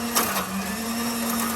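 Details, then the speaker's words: Oster mixer: whirring motor hum broken by sharp skipping clashes; stripped teeth on the plastic drive gears. "And it skips. So I can definitely say that there's some broken teeth on the plastic wheels. And there you go. Yeah, I'd say there's some teeth are stripped."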